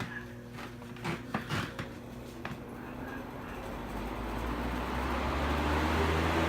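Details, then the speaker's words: Vintage GE box fan after cleaning and oiling, running high in reverse: smooth steady whoosh spinning up with no rattle or rubbing, quiet and healthy; noise heard earlier came from another fan behind it. "Alright, that's quiet. So for some reason, the other fan behind it was making a funny noise."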